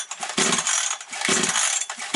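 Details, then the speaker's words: Chainsaw with surging revs and stumbling, cold start on choke: short bursts of high, raspy two-stroke firing that catch and quickly stall on choke, as they should; normal cold start, no air leak. "Добре завелась, заглохла, то вже дуже добре, чітко. Тобто на підсосі вона довго не робила."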